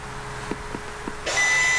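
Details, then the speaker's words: 2016 Audi S3 rear brake pad change: electronic parking brake motor retracting caliper piston before pushing piston back; brief clicks then steady electric whir; brakes fully open, normal release. "so we're going to press one and you're going to hear the motor kind of make a you know electronic noise to releasing it"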